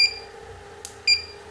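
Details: Profoto Compact Plus 600 flash after repair of total failure (calibration power error, no ready, flash not firing, no reload; burnt board traces): sharp flash pop then clean high ready beep within about a quarter second; recycles quickly, working properly.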